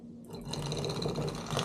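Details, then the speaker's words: Defective Simagic P-HPR Neo pedal haptic on the clutch port of a P2000 control box: abrupt, uneven, coarse buzzing rattle with something clunking around inside; owner unsure whether the motor came off its track; clearly not healthy. "this one is obviously defective you can hear it right away something is clunking around inside of it I don't know if the motor came off the track or whatever I don't know how these things even work but um obviously does not sound healthy"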